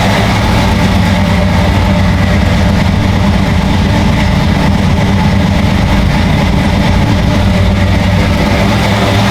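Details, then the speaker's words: 1972 Chevy K5 Blazer V8 with Holley Sniper EFI, 143 miles on it: deep steady rumble holding a fast, even idle that won't drop under 1,000 RPM, with a whistling sound under throttle; high idle, cause not yet found. "You hear that high idle? Yeah. It's like high idle, look in there. It's like, I can't get it to idle under 1,000 RPM."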